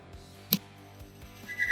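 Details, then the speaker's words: Engine test rig loading a cam and lifter coated liberally with assembly lube: amp gauge climbs, then a sharp click and a high steady squeal as the cam and lifter scuff and fail; cam ruined, metal shavings through the engine. "you can hear the bearing fail that is not a pretty sound now we have to rebuild the entire engine we have metal shavings flowing through the engine and do not know what other parts are damaged"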